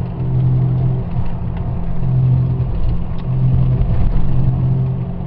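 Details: 2002 Ford Ranger 4x4, 4.0L SOHC, 137,000 miles, on test drive: low steady howl under road rumble from the front end, traced to a failing driver-side front wheel bearing, replaced.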